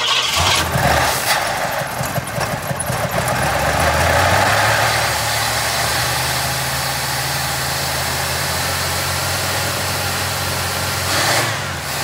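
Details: 1981 Pierre Cardin Evolution 1 after finding a very loose distributor, running on throttle: engine stays running but idles uneven and lumpy with wavering speed; running very rich, smoking out the shop, could probably use a tune.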